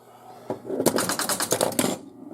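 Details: 1977 Stern Rawhide pinball machine, after repair: quick burst of crisp clicks and strikes about a second, coils and relays snapping cleanly; working normally.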